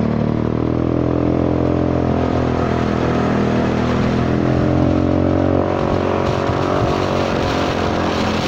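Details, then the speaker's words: Honda Forza 300 scooter riding under 80 km/h: loud hollow droning exhaust boom over wind rush, formerly quiet; damaged exhaust pipe suspected, not confirmed. "ฟังเสียงท่อดูมันผิดปกติขนาดนี้คงมีอารมณ์พุยนะ"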